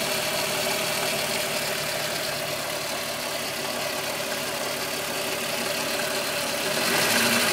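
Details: VW Golf VR6 2.9, 103,000 km, at idle: busy sizzling metallic rattle about three beats a second; chain-rubbing noise that grew louder after replacing upper hydraulic tensioner screw; cause unconfirmed.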